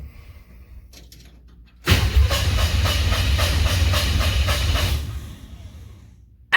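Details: 1968 Chevrolet C10 during first-start attempt after wiring: even starter churn, about four compression beats a second for three seconds, no firing; turns over freely, normal cranking.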